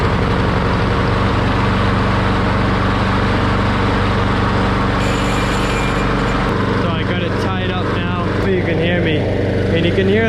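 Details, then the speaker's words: Push mower that sat for years, after carburetor and fuel tank cleaning and fresh gas: steady single-cylinder drone, slow and lazy with even firing; low idle speed, fixed by adjusting the throttle linkage. "rpms are a little low so i'll show you what to do with that"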